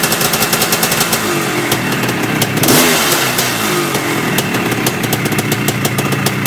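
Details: Yamaha IT490 two-stroke after engine install and rebuild, running 40:1 premix after a few heat cycles, with a temporary silencer stuck on; crisp, evenly spaced idle popping, one quick rev blip dropping back cleanly, healthy.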